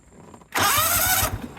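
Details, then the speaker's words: John Deere GT245 mower after fitting a new starter, replacing a sticking, lethargic one: brisk strong crank well under a second, engine catches and settles at once; starter working fine. "well the start starter sounds really good which is what I would expect for a brand new starter so great previously was a a little bit on the lethargic side"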